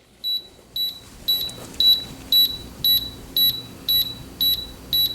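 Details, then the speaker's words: 1983 Canon T50 film camera in self-timer mode: crisp high beeps evenly about twice a second, the 10-second timer counting down normally. "it's 10-second timer in case you didn't notice there you go"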